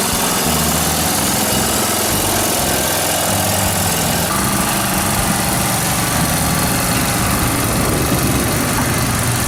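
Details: Briggs & Stratton lawnmower running after a repair of its flooding Nikki carburetor and an oil change (the old oil was thin and smelled of gasoline). Steady, even small-engine drone with no misses or surging, partly covered by music; running normally.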